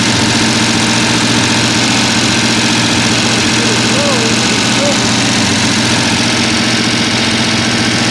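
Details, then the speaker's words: Mostly stock rebuilt Mopar 383 V8, timing set, running on the stand while checking that the lifters turn: loud, fast, even drone at raised idle with constant busy clatter. "Go ahead and crank it up, Joe, and let's get a picture of all these things turning. It's loud."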